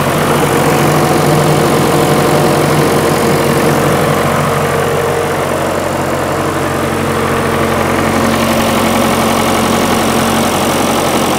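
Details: John Deere 450C diesel track loader recovered from the woods, long parked, at first start: even, steady diesel clatter at a settled idle with no stumbles or hunting; the engine runs normally.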